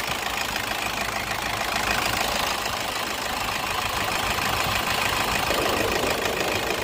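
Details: Toyota: engine holds a steady, even idle with a light, regular clatter and no hunting or slipping; normal idle.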